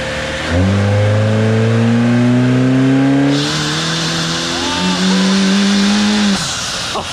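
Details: Car on dyno with twin electric turbos, full-throttle pull: engine note climbs steadily, then a sudden hissing rush and brief dip in tone midway; crew unsure what the sound was, surge suspected, run showed less boost.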